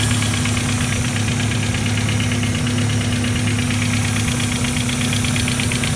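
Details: Mazda Miata first start after replacing all four injectors (shop blamed cylinder 3 misfire on a bad injector; plugs new): uneven lumpy idle with pulsing hiss from an unlocated leak; seems to run on four cylinders then drop to two; misfire persists.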